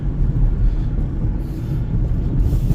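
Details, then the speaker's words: 2010 Mitsubishi Outlander, about 185,000 km, on a 5-minute test drive after new rear shocks, front struts, lower control arms and sway bar links. Smooth, even road rumble with no knocks or clunks over bumps: normal suspension, no clunk. "All right, guys, so I've been driving for about 5 minutes now. Suspension feels nice. No clunk, no noise."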